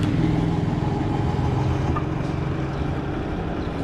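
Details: Toshiba 9 kg washing machine that made noise and would not spin-dry, on spin cycle at rising speed: even low drum rumble with no grinding or rattling; bearings sound fine.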